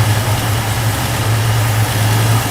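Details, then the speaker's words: 1969 Ford F100 V8 revived after 30+ years idles with a deep, even burble, running on a hot wire straight from the battery to the coil after suspected power loss in the ignition switch; no internal noises or smoke, fuel pump still not pumping. "It's idling, it sounds pretty good, no internal noises, I haven't noticed any smoke."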